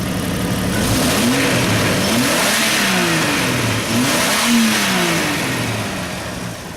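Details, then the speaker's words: 1993 Jeep Grand Cherokee 4.0 six-cylinder, 186,602 miles, warmed up to about 210: pitch climbs and falls smoothly through several blips and settles cleanly, no knocks or rattles; healthy engine revving well. "Like I said, just a great running engine."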